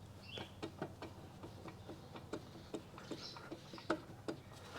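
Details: 1973 Yamaha CT-3 175 Enduro, stopped engine, microphone placed close: faint sharp clicks, two or three a second, as the crank is rocked by hand; excessive crank play from worn main bearings, to be replaced.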